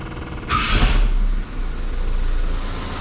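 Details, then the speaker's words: 1979 Chevy LUV pickup, 1.8L four-cylinder, after ignition timing tune with vacuum advance disconnected and plugged: brief starter whir, then engine catches and settles into an even, low, steady idle with no misses or knocks; running smooth. "all right running pretty smooth"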